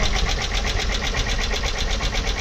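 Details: Junkyard engine: uneven, pulsing run with a regular stumble several times a second over the engine note; it sounds like a misfiring cylinder.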